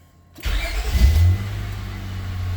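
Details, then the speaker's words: 2000 Honda Accord after misfire repair, throttle body not yet done: short crank, catches right away, flares up then settles into steady even idle with no stumble or miss; flashing check engine light gone. "Already feels a million times better. That idle's acting funny. But it dropped down. Feels nice and smooth. I can feel it's no longer misfiring."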